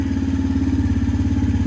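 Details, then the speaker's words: 2017 Suzuki QuadSport Z90 90cc four-stroke ATV after carburetor cleaning and fuel drain: quick, even single-cylinder putter without stumbles or surging; normal smooth idle after repair. "so it's still not idling or going up higher so press it again it's a ripper she's idling so much more smoother"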